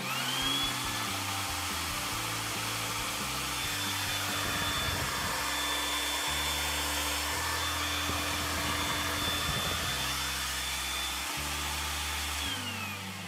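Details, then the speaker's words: Makita 2000 W vacuum cleaner that would not start, reassembled and grounded, on 220 V (outlet measured 216 V): strong high motor whine holding steady over ten seconds after switch-on, then winding down; full suction, normal running. "vuče kao nenormalan, e to je pravih 2000 W."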